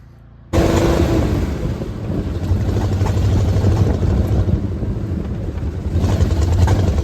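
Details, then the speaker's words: 1979 Jeep J20 AMC engine with dual exhaust, sat a year, low compression, fed from a fuel can; lumpy uneven low rumble with stumbling beats never settling; misfire from low compression. "I really love how it sounds with the dual exhaust other than it running like crap as you can probably hear"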